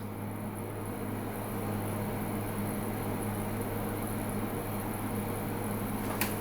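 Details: Midea U 8000 BTU window AC at 108°F outside on medium, drawing 5 A and climbing past 7 A, roughly 677 W: steady fan whoosh over low compressor hum, no rattles or surging; normal operation under high load.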